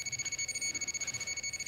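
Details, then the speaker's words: Radiation detector in alarm with rapid, steady chirping beeps in a Chernobyl hospital basement full of highly contaminated clothing. Readings reach thousands of counts per second, about 600 µSv/h, and 1.6 mSv/h just above the floor. Very high count rate. "entirely full of contaminated clothing i was getting intense readings as you can hear lots and lots of counts all the devices i had with me are in allow mode you can hear the beeps and clicks and everything"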